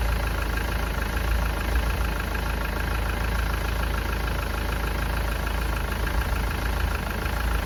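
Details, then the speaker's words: Ford Transit diesel losing coolant fast, with white smoke, suspected blown head gasket: uneven, lumpy, misfiring idle with irregular shake while a block tester (combustion leak test) starts changing colour within minutes, pointing to exhaust gases in the coolant. "But you can hear the engine's not running right."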